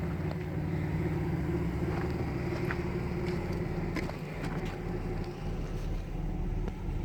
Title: CAMARO RS 3.8 MISFIRE 4K (UHD)